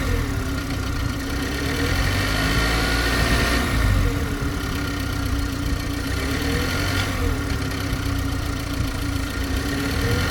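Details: G20 BMW 330i at steady idle: constant mid-pitched hum with a faint chirp every few seconds; strange abnormal idle noise, source unclear.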